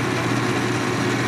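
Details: GE Potscrubber 970 dishwasher on a cold-water cycle, first drain: even steady low hum with constant mid-pitched drone, no knocks or grinding; drain pump running normally.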